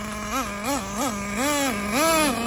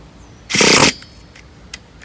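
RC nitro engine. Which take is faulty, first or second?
second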